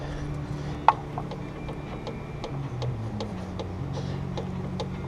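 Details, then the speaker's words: Pontiac Grand Prix suspension, wheel off, coilover strut top; faint irregular light clicks with one sharper snap as the visibly moving thrust bearing shifts; worn strut thrust bearing causing the clicking noise. "don't know if you can hear that or not. That's my clicking noise."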